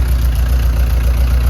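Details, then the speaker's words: 1999 Subaru Legacy 2.2 flat-four swapped into a VW bus, started the day after its first fire-up with no coolant in it: fires right up, smooth rock-steady low idle with an even pulse and no stumble or knock. Healthy. "all right she just fires right up now I don't have any coolant in it so I'm not going to run it very long great I mean it is Rocksteady"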